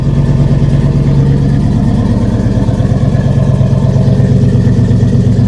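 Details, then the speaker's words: GM V8 from an auction yard, started after a dead 7.9 V battery was boosted. It settles into a deep, even burble at steady idle with no ticks or knocks, and the alternator is charging 14 V. Normal healthy idle. "Oh, this is nice. This is real nice. Listen, that thing purr."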